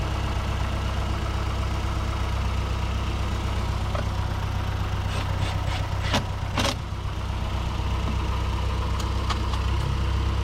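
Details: 2008 Mazdaspeed 3 turbo petrol idling after CorkSport high-pressure fuel pump internals install, before road test: smooth, steady low idle with an even beat and no misses, knocks or hunting; idling normally.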